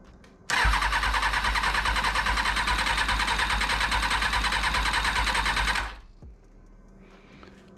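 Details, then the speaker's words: 2000 Kawasaki ZX6R during rebuild, fuel work just done, battery reconnected: strong, even starter cranking about three turns a second for five seconds with no firing; cranks but won't start; owner checks tip-over sensor, cause unknown. "okay um well we had problems with that before couldn't get it to work what could be disconnected that could prevent it from starting"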